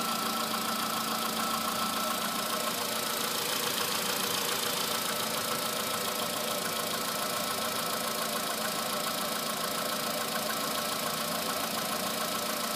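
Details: Cold morning start and idle of a VW Polo sedan, just under 9000 km after fitting modified pistons, oil changed 5000 km ago: steady light metallic ticking knock about twice a second over the engine hum; knocking on cold start.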